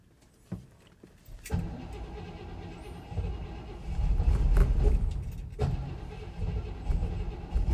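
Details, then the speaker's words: 1964 Cadillac Coupe De Ville V8 cold start in a garage at about 10 degrees, after a failed first attempt with a warning light on. A few faint taps, then it catches about 1.5 s in and settles into a rough, rising cold rumble. "Well, it's running now. It is cold."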